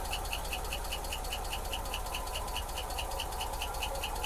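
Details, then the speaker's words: 1986 Ford F150 that sat for years, just started after many tries: a low, quiet idle with a light, regular metallic tick about two to three times a second; a little clank in the valve train before oil pressure was confirmed. "Man, yes, man, this motor runs good. Got a little clank to it in the valve train, but let me see if we got oil pressure."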